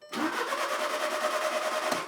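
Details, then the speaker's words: VW Passat TDI donor engine, 109,000 miles, broken timing belt so top end damaged; quick, even cranking for about two seconds, no clanks, not hitting anything, bottom end believed good: normal cranking. "it's not hitting anything currently and motor's turning over so pretty confident that the bottom is good"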